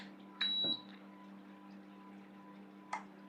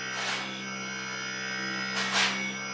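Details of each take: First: Voltas inverter AC PCB showing PC 00 error, compressor connected to board U-V-W, switched on by remote: short beep, one dull thump as compressor tries to kick, then only faint hum; compressor fails to start, drive board fault. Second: Voltas inverter AC after PCB repair for PC 00 error, compressor restarted via remote: steady, even hum with constant tones and no knocking or rattling; compressor running well.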